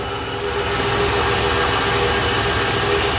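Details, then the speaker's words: Ford 300 inline six truck converted from EFI to a carburetor, full 2.5 in exhaust, idle targeted around 800-900 rpm: even, steady low rumble with no knocks, misses or hunting; sounds like a tractor but runs fine. "she does run in it sounds pretty decent it does sound like a tractor though I have to admit it sounds like a [Music] tractor she runs good"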